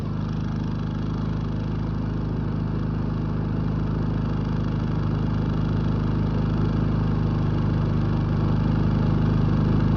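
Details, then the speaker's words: Predator 3500 inverter generator after oil, spark plug and air filter service, carrying a light load: low, even hum at constant speed, no surging, misses or knocks; normal running under load. "You can see that it's very steady voltage when you add a load to it."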